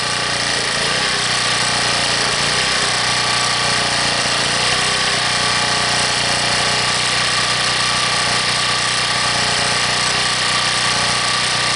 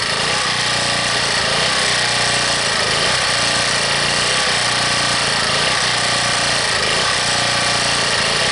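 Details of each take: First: Harbor Freight 1800-watt generator after a cold start at 15 below, now warmed up, off choke and not yet loaded: steady, even drone with no surging; hunting has stopped, steady idle. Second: Harbor Freight 1800-watt generator cold-started at 15 below, on full run with no choke: loud, steady petrol roar with only slight speed unevenness; the cold hunting is easing as it warms.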